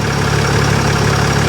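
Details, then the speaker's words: Mercedes ML350 engine, restarted after sitting unused a long time: even, steady low hum with no misses, stumbles or knocks; smooth, healthy idle. "oh yeah it's surprising just how smooth it's running like i said to see how long it's not run for"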